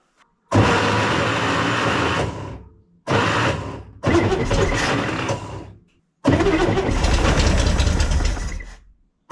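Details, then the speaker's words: 1965 Corvair, long-stored, flooding on start: four cranking attempts of a couple of seconds each, never catching, starter rough and clattery; owner suspects loose starter, may need new one. Harsh starter cranking noise. "again what sounds like the starter is just loose probably shouldn't be continuing to do this without looking at it"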